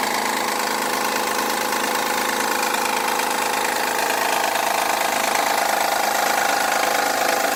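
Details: 2011 Honda Accord cold idle: loud even clattering rattle with a steady whine, sounds out of oil but isn't; lasts 5–10 minutes until warm, returns after sitting an hour; source unclear.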